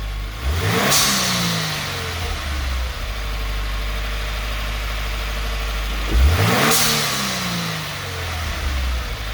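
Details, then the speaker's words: 2018 Subaru WRX with newly installed GFB blow-off valve, after adjustment: two sharp rev blips, each followed by quick hiss and clean shutoff as revs fall; blow-off valve venting properly. "okay so you hear how you can hear the sound of the blow-off valve and it's right before it starts to come down on Rev you can hear it shutting and I think that's probably where we want it to be at for right now"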